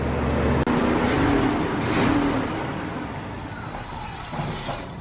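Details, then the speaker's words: About 30-year-old Chevy C1500 carbureted V8 pickup, after fuel tank replacement and hotwiring the fuel pump: steady low rumble that settles and stays even, no stumble or miss; sounds better than the day before. "It actually sounded better than it did yesterday. I'm sure that has something to do with everything working better."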